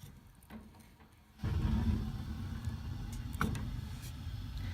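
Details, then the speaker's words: Floor furnace whose gas control was partly submerged in water, set to pilot with no thermostat or limit wires connected: a quiet hiss, then a sudden whoosh into a steady low roar as the burners light because the gas valve is stuck open. "the gas valve is still stuck open you'll be able to hear the burners light when I turn it"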